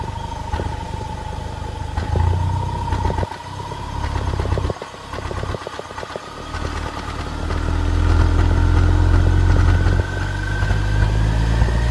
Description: Misfire due to bad spark plug